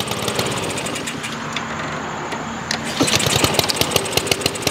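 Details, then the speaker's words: Troy-Bilt TB130 mower with a Honda GCV160 engine converted from auto choke to manual choke, running with the lever wide open; fast even single-cylinder popping beat, no misses or surging, normal running. "yep and she's a runner now for that we could leave it like that"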